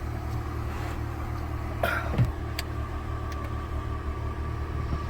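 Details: 2007 PT Cruiser on its first start after replacing the TIPM (total integrated power module) with a used one, to cure stalling after warm-up: low, even idle with no stumble or dip, apart from a brief handling clunk. No codes.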